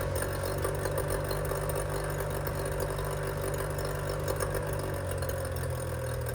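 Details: 25hp Mercury outboard after carb rebuild (junk in carburetor), new fuel pump parts and spark plugs, running on the shop tank: an even, steady idle burble with no misses, surging or stumbles.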